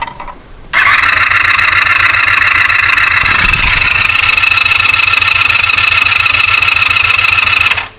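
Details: 1984 Honda VF500F Interceptor after carburetor work, fuel added: steady fast starter whir with a high whine for seven seconds, never catching; cranks but won't fire; fuel pump later found to act as if not running.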